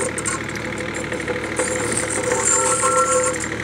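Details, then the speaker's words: O&K RH 1.17 mini excavator moving on its tracks: diesel drone with rough, uneven squeaking and scraping; front track wheels are falling off and worn idler bearings are suspected. "you can almost hear how bad those bearings are"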